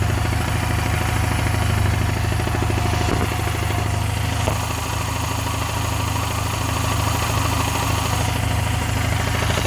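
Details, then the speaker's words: Honda Silver Wing 600 scooter, before warm-up: an abnormal, dull rumbling knock at three to four beats per second over a rough idle, heard on arrival. The auction sheet mentioned variator noise; the owner doesn't remember, and it was probably always like this. Source not yet found. "и когда он нам приехала с улицы я пошел встречать и услышал какой-то грохот явно не ненормальный"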